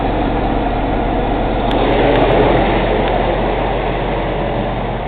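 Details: Cummins ISX CM2250 diesel during DPF regen: steady heavy running with a rapid, regular, sharp airy intake chuff about four per second and no metallic knock; owner suspects turbo chuff during regeneration.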